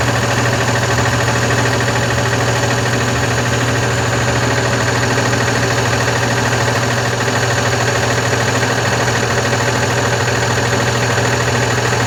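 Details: Diesel Constellation 19320 truck after an engine overhaul with new pistons and the cylinders machined: steady hard knock about three per second over the idle, never letting up; the brake air compressor is broken and knocking.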